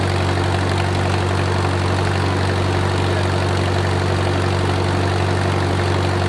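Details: Wartime H tractor, last run around the 80s or 90s, at full operating temperature: a deep, steady idle with an even beat, no knocks or misses and great oil pressure; a normal warm idle.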